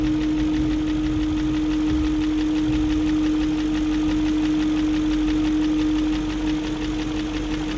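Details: 2001 BMW E38 740i after rebuilding the VANOS units with Beisan kits, replacing VANOS distributors and camshaft gaskets, lifters checked, plugs tight: steady idle with light regular tick a few times a second from the valvetrain area; ticking persists, cause unknown.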